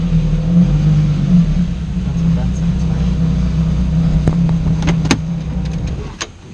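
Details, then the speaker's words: Newly bought Japanese sports coupe with aftermarket intake, power feels down and stalls occasionally: deep uneven rumble wavers then sags toward stalling; owner suspects mass airflow sensor or need for a tune, unconfirmed. "It might have just deleted it. It stalls once in a while."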